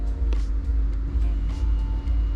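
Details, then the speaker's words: Nissan VQ HR engine after a VHR manifold install, heard from inside the cabin: steady low even hum as the fuel pump primes to pressure-check the refitted fuel rails for O-ring leaks; normal. "and you'll hear the fuel pump turn on also from inside the"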